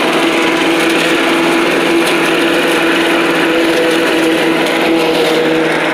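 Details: Old Rover Turbothrust mower built in Brisbane, Australia, no battery fitted, cutting grass into the bagger: a steady high buzz holding its pitch with no surging or sputter. Normal running under load; owner thinks the blade brake shoe may need replacing.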